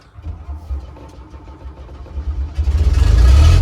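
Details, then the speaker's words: Converted double-decker bus, warm diesel restarted after original starter motor was repaired: low, even cranking thumps about four a second, then it catches and rumbles up cleanly; starts beautifully, starter plunging and returning better than before. "That is good. It starts beautifully. It's probably starting a little bit better as well, if anything, and you can definitely hear it returning on listening to it."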